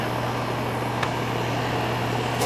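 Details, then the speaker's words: Air conditioner with a no-cooling complaint traced to a bad capacitor: steady low hum with an even fan whoosh and no clicking, buzzing or straining; the compressor comes on and the fan runs normally. "That sounds like a sound of a compressor coming on. And we'll know in a second cuz this line will start to condensate and get cold."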